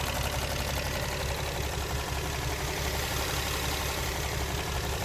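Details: Infiniti G37 at warm idle: quick light tick about twice a second, found with an oil funnel to be the vapor canister purge solenoid, not an injector; a new one is equally noisy, so normal.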